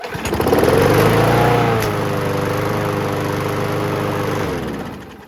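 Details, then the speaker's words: WeedEater 21" push mower with Briggs & Stratton 500 Series 158cc engine, test run after carburetor cleaning: picks up and settles into a steady even drone, no longer surging, restarts on first pull; normal running. "Awesome, so that sounds like it runs a lot better. It's not really doing that surging thing anymore, and it does restart on first pull."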